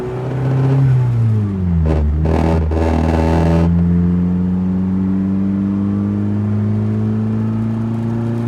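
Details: Turbo Miata revving up and down with a brief metallic clatter over the rev changes; owner wonders whether low washer fluid causes the rattle, source not confirmed.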